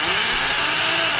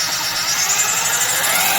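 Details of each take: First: Milwaukee 0224 3/8-inch Magnum hole shooter corded drill, heavily used, with undersized gears: harsh, scratchy high-pitched grinding whir over the motor at full speed, forward; worn gearbox teeth. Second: Milwaukee 1107 triple-reduction heavy-duty half-inch corded drill, well used, run as a reference: even high-pitched gear whir at full speed, smooth with no grinding or clatter, then winding down; the gears sound healthy.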